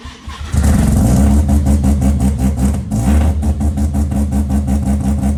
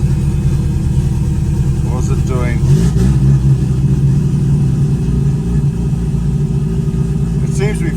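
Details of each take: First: Mazda RX8 on Microtech ECU, poorly tuned: engine catches after cranking, then surges and stumbles in uneven pulses, failing to settle; hard starting. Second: Mazda RX8 Renesis 13B bridgeport rotary turbo on Microtech ECU, after removing low-rpm fuel: steady low burbling idle without stumbling or surging, far smoother than before, little smoke.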